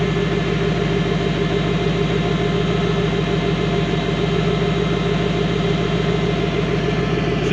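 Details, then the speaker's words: Idle on a fox-body Mustang coupe with a CSU carburetor and a new fan switch, engine warm on a nearly 90 °F day; it idles up a couple hundred rpm after the fan kicks on but stays steady, even and smooth. Normal idle. "so it's kind of weird that it's uh like it's ided up few 200 RPMs after doing that does sound smooth though"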